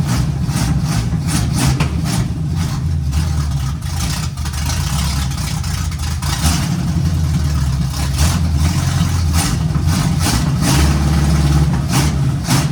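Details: 1951 GMC cab-over at first start, run on sprayed starting fluid with timing being adjusted: low, uneven rumble with a wandering idle and unsteady revs from a big vacuum leak, before a temporary fix.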